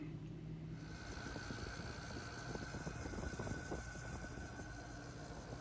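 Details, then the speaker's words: 2014 Keystone Outback RV rooftop Coleman air conditioner blower motor, fan flicked to start (suspected bad capacitor): loud rough whirring with steady mid-pitch hum; owner suspects bad motor bearings, plans to replace motor and capacitor. "Now I've turned the air conditioning on, and then I flick the fan and it starts moving, and you can hear it makes a real loud noise. So I think the bearings are bad in this motor, so I'm going to replace the motor as well as the capacitor at this point, just to prevent having to redo this job again."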